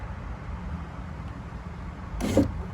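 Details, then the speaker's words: 2000 Jeep Cherokee XJ, new window motor just installed, tested in accessory mode before refitting: short smooth even whir, no grinding or binding, fast; normal power window operation. "Yep. There we go. It's working. It's fast."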